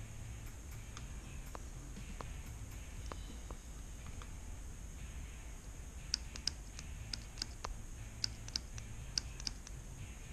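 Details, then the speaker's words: 4L60E transmission shift solenoid bench-tested with a 9-volt battery while diagnosing code P0752 (Shift Solenoid A stuck on): sharp, distinct clicks each time power touches the terminals; solenoid actuating normally, passes the test. "just connect it to the 9-volt battery it doesn't matter positive negative and you just listen for a clicking sound"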